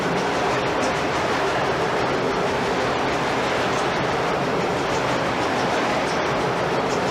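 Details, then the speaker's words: Historic gold-mill ball mill running: dense continuous clattering roar of steel balls roughly 2–3 inches across, about 4,000 pounds of them, tumbling in a slowly turning drum; normal operation. "okay now what we were just hearing was those ball bearings that are probably 3 inches around 2 inches around 2 and 1/2 a pretty good size too big to hold in the palm of your hand"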